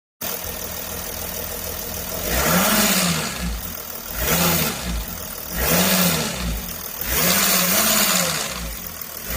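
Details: Mercedes OM642 350 CDI diesel idling with a dense metallic rattle through four throttle blips, spreading along the right side of the engine; stops when the high-pressure pump pressure regulator solenoid is unplugged; new solenoid didn't help; pump or injectors suspected.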